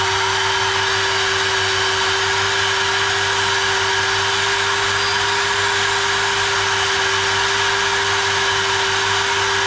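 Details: GTPRO ceiling sander brushed motor after repair: a steady high whine with a constant tone and no sparking or stutter, and the brushes still need to bed in; normal running.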